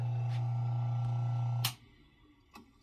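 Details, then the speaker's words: ILG Model 123 XQ explosion-proof fan motor after rebuild with new bearings, cleaning, varnish and spring washer: smooth even hum, faint centrifugal switch rubbing, clicks at shutoff; normal motor run, no bearing noise. "all right so here's the motor back together after a fresh rebuild and i'm gonna give it a start no more bearing noise"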